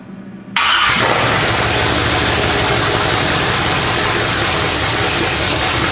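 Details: 427 big-block Chevy on an engine run stand, not run in a long time, first fire with open headers: quiet crank, then catches at once into a loud, raw, even rumble that settles steadily; normal first start and idle.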